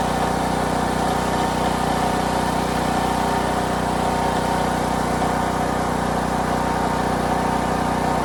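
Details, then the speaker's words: Harbor Freight Predator 8750 generator, used nonstop for about a year, first run after replacing burnt brushes and the voltage regulator: loud constant drone at one speed, no surging or misses, showing 120 V output. Worn brushes were apparently the fault. "all right well we're showing 120. awesome awesome awesome so apparently it was these brushes they look pretty toast right there"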